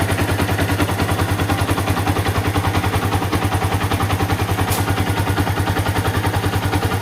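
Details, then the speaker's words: Yamaha Vixion after repair of rattling near the left water pump and valve adjustment; steady idle thump about 3.5 per second with a faint light tick from the head, attributed to the rocker arm, possibly worn rocker arm bearings: light valvetrain tick. "Walaupun memang Sebenarnya ada sedikit menggelitik di bagian head dan itu memang seperti saya bilang tadi itu adalah bagian rocker armnya ya"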